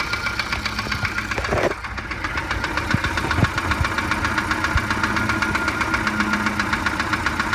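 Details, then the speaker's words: 1987 Volvo 740 Turbo idling unevenly on three spark plugs (one faulty plug wire): dull regular knock about four beats a second, much louder at the oil pan than the valve cover; lower-end knock, shop diagnosed piston slap, owner doubts it. "it seems like the knock is a lot louder coming from the oil pan than from the valve cover up here"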